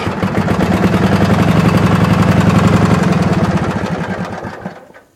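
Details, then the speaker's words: Wheel Horse tractor twin Briggs & Stratton after a dead-cylinder repair, with one plug disconnected so it runs on a single cylinder: even, regular firing pulses with no misses until it dies; normal running on one cylinder. "so it runs evenly on each cylinder then i'll take it for a quick ride"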